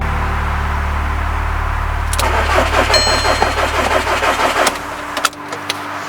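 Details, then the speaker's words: VW Caddy with swapped 2.0 TDI CR140 engine and DSG, first start attempt, secondary fuel pump fuel line disconnected and low on diesel: steady starter churn at about three beats a second, never fires; crank no start, fuel suspected. "I've also noticed on my secondary fuel pump, there's a fuel line missing there. Well, it's not going to start with that unplugged, is it?"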